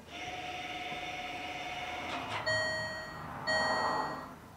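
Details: Land Rover Freelander 2 electronic park brake put in service position (ignition on, handbrake button held, throttle floored): steady high electronic tone, then two short whirring bursts of about a second as the brake motor winds off.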